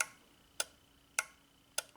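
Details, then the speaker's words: Relay tester cycling the 2003 Honda Element 2.4L A/C condenser fan relay: crisp, evenly spaced clicks about every 0.6 s; relay tests good, fan is the fault. "it's opening and closing that relay that's the relay clicking if it lights green it's good if it's red it's bad"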